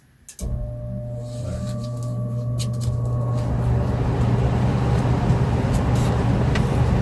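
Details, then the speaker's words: Home furnace blower motor after reassembling the panel, AC not blowing cold troubleshooting, furnace fan switched on: low steady hum, airflow rushes up and settles into an even run; blower motor running normally. "right so now you can see here the motor is uh running so yeah we are good"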